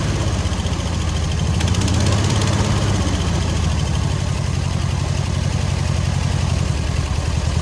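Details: Air-cooled VW 1600 dual-port engine in a sand rail, after retightening the exhaust to fix a leak while hunting an oil leak (alternator not charging). Low, lumpy, even idle with no ticking or puffing. The exhaust sounds sealed, and no oil leak is seen.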